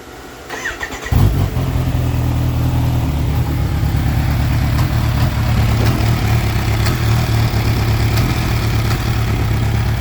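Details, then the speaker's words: Kawasaki Ninja H2 settling into idle with a busy, uneven clatter of clicks that appears only at idle; accelerating, shifting and clutch fine, source unknown; clicking noise at idle. "like everything else works fine uh like when I'm accelerating or when I'm changing gears everything is fine but it just when it's idling it's making that clanking sound so you don't know what it is"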